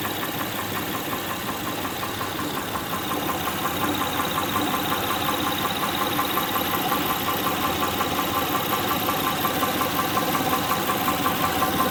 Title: Honda Pilot 2006 3.5l V6 knocking sound from engine. Camshaft lobe.